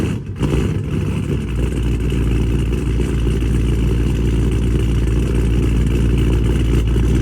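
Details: Dodge Charger Scat Pack widebody 392 V8 on E85 tune, after boost-a-pump and 1050X injectors installed (previously running lean), cold start: catches and climbs into a loud, lumpy idle about three and a half pulses a second; expected cold-start surge before idle regulates.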